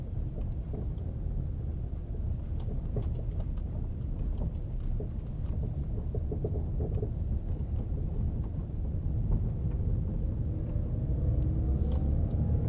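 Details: 2014 Ford Fusion SE 1.6L, 11k miles, driving on rough surface: irregular light knocks and rattles from front passenger wheel, worst on gravel and small bumps, absent over 40 mph; worn front strut, replaced and noise gone.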